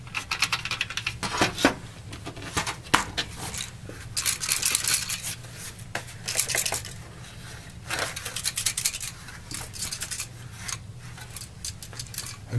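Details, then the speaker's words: Sony PlayStation 1 (PS1) console with a stuck disc door release button, opened up with the laser removed: an irregular clatter and scraping as the case is shaken, from a small loose object tumbling inside; source not yet found. "there's something loose in there which is going to drive me crazy so before even looking at the door mechanism I'm gonna take the shield off and see if I can get the rattling object out of there"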